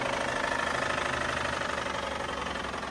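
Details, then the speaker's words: Toyota Tundra, V35A twin-turbo V6, about 1.5 years old with 11,000 miles, started at the dealer: steady metallic knock about three per second over a rough idle, then the engine shuts off; internal engine knock, owner says engine broke. "This car is gone. This car is about to shut off. It shut off. The engine shut off. It's already broken."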